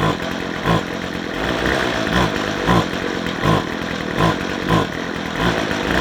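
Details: McCulloch strimmer that won't run off choke, being revved: it surges in uneven bops about once a second and won't climb in revs, suggesting fuel starvation; a blocked fuel filter is suspected.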